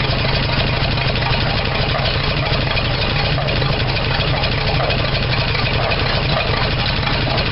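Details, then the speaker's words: 1975 Dodge D100 Slant 6, open exhaust, misfiring while timing is advanced: loud uneven low idle with lumpy knocking throb and odd pops; owner suspects a burned valve or leak, and distributor one tooth off. Rough idle with popping. "it may have a valve burned out of it because it's popping somewhere and i'm not sure where"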